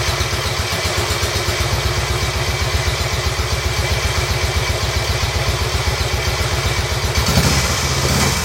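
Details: Royal Enfield Bullet 350 Classic single, first start after partial seizure repair, hone, new rings, decoke, carb cleaned: even steady thump about four beats a second with short blip at end; idles cleanly, dislikes choke, needs fine tuning.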